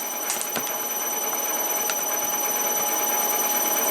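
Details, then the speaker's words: CNC mill spindle with a new belt drive and extended quill, unloaded at low speed: quick, fairly steady light clatter of nearly four ticks a second over a high whine. Quieter at 1500 rpm and under tool engagement; bearings stay cool. "so let's uh we'll turn this on and run through and let you listen to the clatter there is definitely some cloud here"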